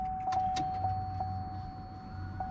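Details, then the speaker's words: 2003 Chevrolet Suburban 5.3 L 2WD after replacing a bad fuel pump: steady electric hum with fixed whine and a few light clicks as the new pump primes, filling the lines and pushing out air. Normal priming. "you can hear it keep going you got it you got to get the line get those lines full you gonna do couple more times trying to push all that air out too"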